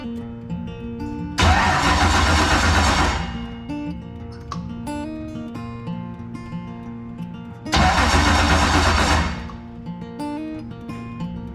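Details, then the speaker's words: Ford Thunderbird NASCAR stock car with a starter that previously wouldn't engage; starter reinstalled with header pipes still off, and it cranks in two quick, even bursts at about three turns a second, engaging cleanly, normal starter cranking. "okay so it seems to be engaging that's good"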